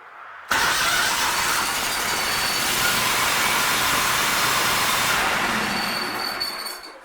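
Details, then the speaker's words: Gravely 60 zero-turn mower after new starter installed and spark plugs refitted, started with choke: engine catches instantly and runs steadily, then winds down; clean start, healthy. "Alright, all you have left to do is start it up. Put the choke forward, I believe, and it's headed different backwards. There you go. Choke down."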